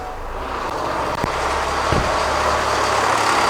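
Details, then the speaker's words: 2006 Kia Sorento with misfire codes P0300, P0301, P0303 and P0305 and raw fuel smell, running: fast, uneven slapping rattle about four per second over idle; loose timing belt flapping, timing component failure rather than internal engine noise. "Well, we obviously have some type of timing component failure that has happened. It turns out this noise almost certainly isn't actually internal in the engine, but more external on the timing component"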